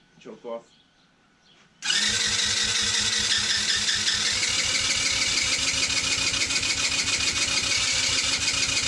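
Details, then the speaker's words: Cheap TaoTao 110cc that was said to have started: even quick cranking pulses, about three or four a second, but it never catches; spark is present, and a compression test shows only about 70 psi, almost no compression, so low compression stops it starting. "this thing is almost no compression yeah we're right at about 70 pounds of pressure here"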